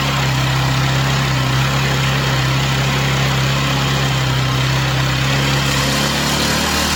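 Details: Chinese/Amazon mini bike's small engine on first start after fresh oil, run on a table: smooth, even, steady-pitch idle, settling slightly lower near the end, smoke stopping, rear tire spinning; normal idle.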